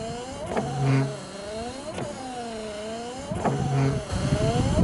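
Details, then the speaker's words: Volvo 940 estate rear wiper motor after refitting during repair: it whirs through repeated sweeps about every 1.5 s, pitch sagging and rising each stroke, sounding strained but working, and quieter than before. "sounds like it doesn't want to be doing that job but it works"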